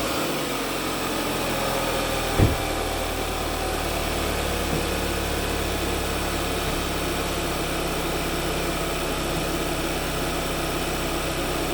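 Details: Kia at cold start idle, about 110,000 miles and 8 years old: fine busy rattle for the first 2-3 minutes from a failing turbocharger bearing.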